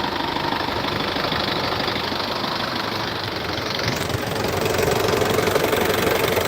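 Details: 2014 Isuzu D-Max 2.5 Z VGS cab pickup diesel, 70,000 km, first cold start of the day: even, steady diesel clatter at idle, no misses, knocks or hunting, no smoke or vapour; smooth, healthy normal idle.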